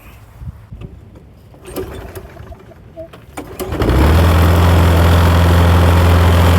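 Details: Toro Personal Pace self-propelled push mower, oil checked and primed before starting: after some handling noise the engine catches at once and settles into an even, steady run at constant speed; starts and runs fine.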